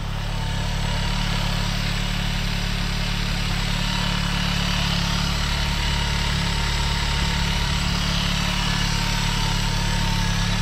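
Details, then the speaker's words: Normal idle on a 1997 VW Golf Estate Joker Edition, no dash warning lights: even, steady idle with smooth low thrum, no stumbles, ticks or misses; runs fine despite oil leaks, brought in for a broken clutch cable. "you can see clean smooth idle runs well there's actually no issue stop stop that thank you there's actually no issue running wise to the car"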